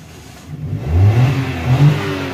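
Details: 2021 Suzuki Alto with long cranking before start and stored DTC P0336, crankshaft position sensor circuit range/performance; code cleared, in neutral: engine catches cleanly and settles, then two smooth revs rise and fall with no misses or knocks; normal start and rev.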